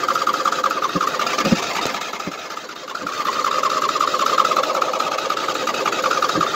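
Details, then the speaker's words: 2007 Husqvarna YTH2454 riding mower, just hosed down with wires wet, choke off: long uneven cranking, steady starter whirr, only scattered weak firing pops, never catching; owner says it always hard-starts when wet; hard starting. "because it always hard starts when it gets wet i did get wires wet and everything"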